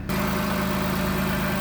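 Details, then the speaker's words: 2009 Dodge Caravan SE mobility van, 3.3 V6, 233,834 miles: fires up first time with no check engine or warning lights; idle is even and steady, a smooth low drone with no knocks, ticks or misses. Normal idle. "Fires up first time, every time. No check engine lights, no warning lights, nothing like that. Everything looks good."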